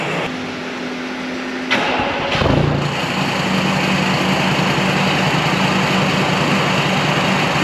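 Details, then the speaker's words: VW Touareg V10 TDI twin-turbo diesel, just reinstalled, two tuned ECUs, cats deleted, straight-pipe exhaust: brief crank, catches, settles into loud steady even idle with open-exhaust rasp; running healthy. "Again, we have a running V10 diesel Touareg, and I'm pretty excited about that."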